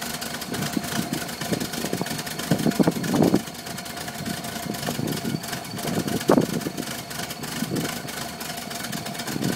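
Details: 1978 VW Westfalia bus at low idle, lumping along unevenly with irregular stumbles and loudness swings, struggling to hold speed; rough idle close to stalling.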